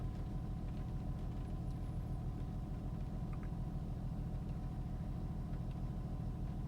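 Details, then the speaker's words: 2004 Honda Pilot after Bank 1 Sensor 1 oxygen sensor replacement (code P0132, random misfires and rough idle) and codes cleared: quiet, smooth low hum at idle with a steady even pulse, no stumble or miss; idling cleanly, no rough idle. "Okay, I think it's idling better now. No rough idle."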